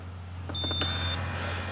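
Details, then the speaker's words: Mammotion Luba 5000 AWD robot mower, grass button pressed to lower blades while flat: low motor hum with a brief high electronic beep as deck lowers; normal height adjustment. "All right, you can hear it going down. I'm going to do it again."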